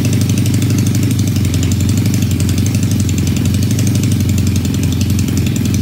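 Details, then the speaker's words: Supercharged 1968 Honda CL175 land speed bike (Roots blower, methanol setup planned), after clutch swap: steady, even idle with firm low throb about four beats a second, no misses or knocks; smaller blower pulley improves idle. "still running well um every time I make the pulley smaller it idle is better and better"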